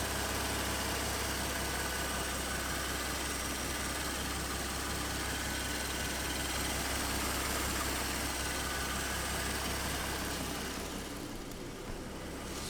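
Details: 2014 Ford Mustang 3.7L V6 idling after new-design water pump replaced the failed one that made knocking/grinding pulley noise: smooth even idle, low steady hum, no whine or rattle, fading out at end; healthy.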